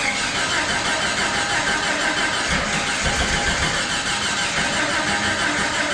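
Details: Jeep (Jurassic Jeep #73) first start-up after body-frame reassembly: starter churns steadily about three turns a second but never catches, no rpm.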